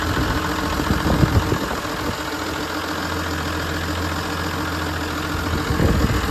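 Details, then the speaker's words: John Deere 7520 diesel tractor with hard starting and variable rough idle, clear test fuel lines showing air bubbles moving toward the injection pump: uneven lumpy idle with irregular knocks and surging; rough idle from air in fuel. "Okay folks, we got a 7520 here and we have a hard start issue along with a rough idle. It sometimes runs better, sometimes it runs worse. It just kind of depends."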